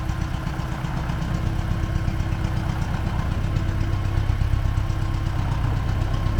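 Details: T-40AM tractor diesel idling in about -14°C after a month standing, warming up before a drive to test the differential lock; dull knock about two to three per second under the clatter, engine knock, source undetermined.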